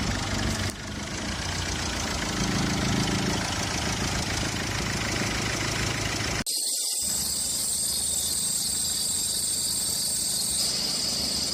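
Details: A petrol engine idles evenly with no belt squeal or chirp after household powder was applied to the fan belt to cure its squeak.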